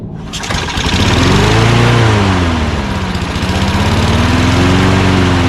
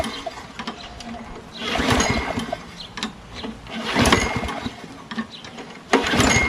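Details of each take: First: Toro Recycler mower with Quantum single-cylinder engine, primed and started during refurbishing: catches after a brief crank, then settles into a steady, even run with a gently wavering governor note; normal start and run. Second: Lawn mower with a primer-type carburetor, belt disconnected, primed with fresh gas: three cranking bursts that never catch; cranks but won't start, and the carburetor is leaking.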